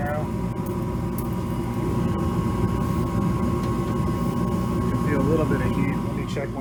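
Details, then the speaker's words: York Diamond 80 gas furnace after inductor blower replacement (old blower had a bad connector); thermostat set to 70, igniter lights, then gas and burners roar steadily with blower and faint even hum, door back on, no rattles or surging; warm air at registers, normal operation. "Oh, there's the igniter. I put the door back on there. I think you can hear the gas and the burners going"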